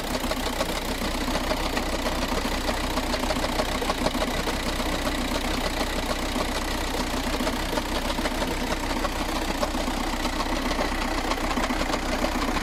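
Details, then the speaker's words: VW TDI with DSG dual-clutch automatic at idle: loose uneven metallic rattle like a can of marbles from the transmission area, with vibration through the vehicle, from a failed dual mass flywheel. "the symptoms of a failure of this part is at idle it's gonna rattle it's gonna rattle quite a bit it's gonna have vibrations throughout the vehicle as well"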